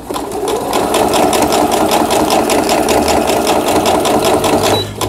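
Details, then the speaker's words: Riccar Quilt Friend digital sewing machine. Zigzag stitching with the width reduced from 5 mm gives a quick, even needle clatter of about 2.5 stitches a second and a smooth motor hum; it stitches normally. "다시 스탑 바느질을 누르고 여기 보시면 넓은 지그재그 바느질 중간 지그재그 바느질 요거를 줄일수록 지그재그 폭이 줄어드는 게 됩니다."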